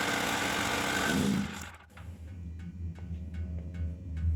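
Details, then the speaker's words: Champion 3500 W generator that sat all summer with old gas and barely ran except on full choke; after carb work it runs unchoked, then the steady drone sags and dies within half a second as the tank runs dry, leaving only faint clatter. "so now it's run out of gas so then I can store it again"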